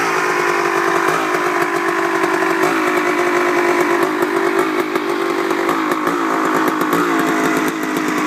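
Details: Honda CR250 two-stroke idles perfectly when first started and warming up, but after 5–10 minutes of riding, at high idle, it crackles and stumbles in an uneven sputter; cause unknown.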